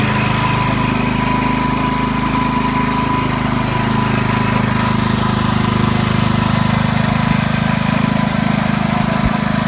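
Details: Ryobi RYI4022X 4000 W inverter generator, cold-started and warming up before an oil change. A steady, even drone with a smooth low hum and no knocks, misses or surging. Normal running.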